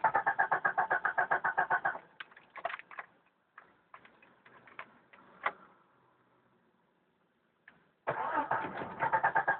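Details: 1992 Jeep Cherokee petrol 6-cylinder, first start of day, about 24-26°C: steady cranking about four beats a second, scattered clicks and near silence, more cranking, never catches; hard starting, cranks but won't start.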